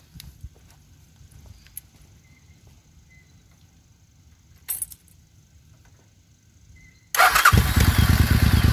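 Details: Suzuki Intruder 800 V-twin that had been popping and backfiring, after new spark plugs on one side; catches and settles into an even, steady idle with no popping, backfire or misfire; smooth idle.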